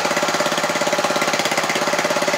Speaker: this engine is set to about 1,000 rpm so it's running much slower that means it's using a lot less gasoline or petrol and it's also making a lot less noise